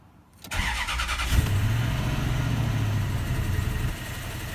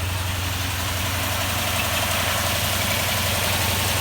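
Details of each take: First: 2004 Toyota Tundra V8, just after new spark plugs, injectors and ignition coils: catches after brief crank, fast cold idle with uneven lumpy beat; oil pressure present; rough running, owner suspects transmission or engine mount for vibration. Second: 2004 Toyota Tundra, after new spark plugs, injectors and ignition coils, cold start: steady even hum at raised idle until warmed up, no knocks or misses, oil pressure present; normal cold high idle.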